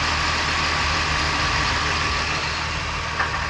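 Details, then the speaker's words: 2017 Dodge Ram 1500 3.6L V6 with about 105,000–106,000 miles, idling after lifter roller follower and cam repair: smooth, even idle with a steady low hum and no more ticking or clackety clatter from the top end; valvetrain now healthy. "All right, so we are here with the final product. Listen to her purr. She's purring like a kitten. There's the difference. No more clackety clack."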